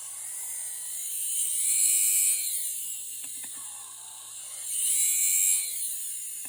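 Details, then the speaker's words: Audi fuel pump after E85 conversion, run on the bench from a 12 V supply: high electric whine that swells, sags and labours roughly. Pump had lost pressure, with the rail purge only dripping; it was failing and was replaced. "alim 12 V vois à l'envers ça tourne et là ça peine de ouf et il se passe un truc mal"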